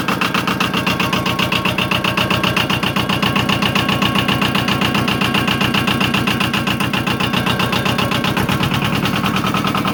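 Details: Used compact diesel tractor with backhoe, no oil leaks or smoke: it catches and settles into an even, steady clatter of about four beats a second, with no misses or knocks; a normal, healthy start and idle.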